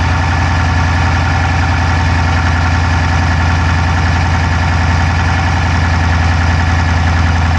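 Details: Dodge Charger Hemi V8 at idle, camera inside driver's side engine bay: quick, fairly even light ticking about three or four a second; no smoke from the exhaust, so owner doubts a dropped valve; cause unknown.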